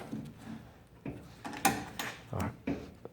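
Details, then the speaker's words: Old Mopar, driver's-side lower door hinge: irregular dry clunks and short creaks as door swings; worn hinge pin, hinge bad. "of like you're all that noise that caused by the hinge pin so guess what let the hinge is bad"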